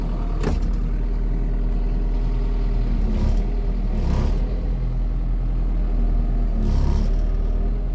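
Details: Kubota KX080-3 excavator diesel, clean and dry with no leaks, filters just over 200 hours and probably coming up on an oil change: low rumble at an even pace with only a few stray clanks from the machine. Engine runs smoothly and healthy.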